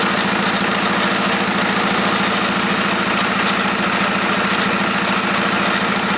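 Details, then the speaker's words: Jetta SportWagen being converted to 4Motion, transmission fully disassembled and rebuilt: steady hissy drone with fast, uneven ticking near three a second; transmission sounds unhealthy after rebuild, cause unknown. "completely taken apart the transmission put it back together and as you guys probably heard it doesn't sound very good or very healthy"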